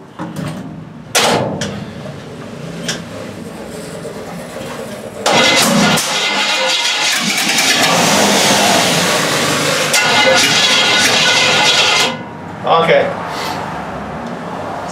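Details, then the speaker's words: 350 V8 with a Holley carburettor, float bowls filled by hand: catches on cranking, stumbles unevenly, then dies. No fuel is being pumped; failed fuel pump suspected, and a plugged fuel filter was suspected earlier. "I don't know if you can see me or not but we're not pumping fuel right here so there is a problem with the fuel pump uh either it needs a fuel pump or it's not going to siphon down there who knows I think we'll go ahead and order a fuel pump for it"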